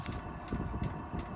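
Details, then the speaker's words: Diesel heater newly installed under driver's seat of 2017+ VW Crafter/MAN TGE, fed from main fuel tank, first burn: low soft combustion rumble with even pump tick about three per second, burning clean and steady; normal running. "See if it's going to be a dirty first burn or not. Sounds good to me."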